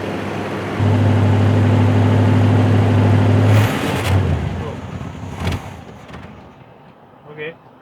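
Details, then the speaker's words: 1976 GMC C35 square body, small-block Chevy 350, manual, first start in about 10 years after long sitting: firm even idle, then sags and stumbles when throttle is opened; high idle circuit works. "okay doesn't like it when I give it throttle oh we're on the low idle the high idle circuit works"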